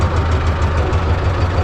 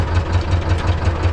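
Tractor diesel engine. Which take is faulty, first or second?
second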